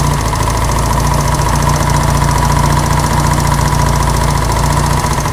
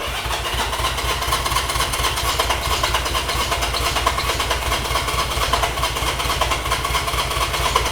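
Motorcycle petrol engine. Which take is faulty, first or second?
second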